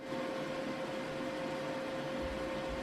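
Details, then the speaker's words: EcoFlow River 2 Pro LiFePO4 power station charging from AC at full 940 W speed: soft, steady fan whoosh with faint constant hum, no rattle; fans are quiet and run infrequently; normal cooling fan noise. "one thing I noticed while charging is that the fans aren't very loud and they don't run very often this is a demo of what the fans sound like charging at full speed"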